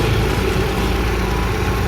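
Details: Kia Visto/Hyundai Atoz whose power-steering hum came from fluid below minimum: after topping up the fluid, the idle is a steady low rumble with no whine or hunting. Normal idle; a steering rack reseal is still planned.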